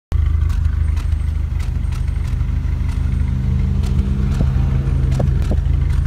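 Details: Renault Megane RS Cup exhaust at idle: low, lumpy idle broken by irregular sharp puffs and stumbles of an intermittent misfire. Spare injectors made it worse; original injectors were cleaned and refitted. MAP sensor fit seemed loose; cure uncertain.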